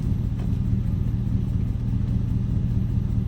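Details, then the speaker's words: 2002 Chevrolet Silverado V8, previously misfiring: deep even V8 rumble, steady beat, no skips or lope; smooth idle. "It definitely sounds better. No, I ain't going to lie, bro."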